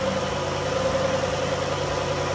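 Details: 2011 Dodge Journey 3.6 V6 after lifter and rocker replacement, cold start: smooth, even idle with a steady low hum and no top-end ticking; the earlier ticking is gone and the engine runs normally.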